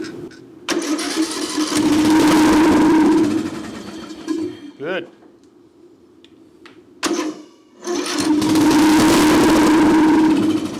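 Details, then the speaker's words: Craftsman LT1000 riding mower, sat outside roughly five to ten years, carburetor removed and fuel poured straight into the cylinder; engine catches loud and raspy, dies, fires again; carburetor starving it of fuel, exhaust has a hole. "good little noisy has a hole in the exhaust that's for sure she's loud so all right that's good I just wasn't able to get the um fuel pist the carburetor"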